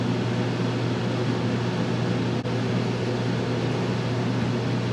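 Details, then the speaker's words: Dometic rooftop RV air conditioner, recorded on the roof, before the soft start is fitted: fan roar, then a short dip and thump as the compressor kicks on hard, then a steady hum; inrush measured at 23.7 A. "i'm gonna go ahead and kick the compressor on i have the inrush set to max we're gonna see what the inrush amperage is for the compressor kick"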